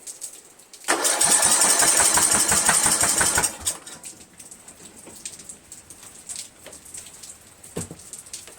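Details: 1999 Craftsman LT1000 lawn tractor, Briggs 17.5HP, cracked flywheel, valves adjusted, spark good, 130psi compression; cranked again after choking, starter spins evenly about two and a half seconds with no firing; cranks but will not start.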